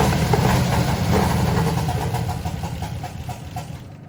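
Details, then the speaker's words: 1968 Oldsmobile Delmont 88 with 455 V8, unrun for about 30 years, first start after wiring fix: big V8 lopes at idle with an even low exhaust beat, slightly uneven, smoky and needing tuning but healthy and not noisy; normal idle. "Sounds like we got a little tuning to do, but that motor sounds pretty healthy. It's not real noisy at all. Sounds great out the exhaust."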